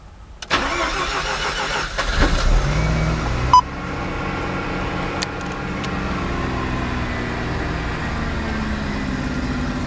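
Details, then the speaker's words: Mazda RX-7 FD rotary after fitting Apexi Power FC with hand commander to cure idle and 3k rpm backfire issues: cranks a few seconds, catches cleanly, idles evenly slightly high at 1,300–1,400 rpm while relearning idle; no smoke; normal start. "okay the revs went a little bit higher than normal sounds good 1,300 RPM 1,400"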